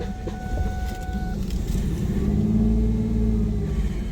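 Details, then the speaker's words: 2001 Ford Mustang 3.8 Essex V6 with P0171 lean bank 1 code, just started after replacing all six fuel injectors: lumpy, stumbling idle with air hissing; massive vacuum leak from a rear injector not seated properly. "So, what I had was a massive vacuum leak. The back injector wasn't seated properly. I could hear the air hissing."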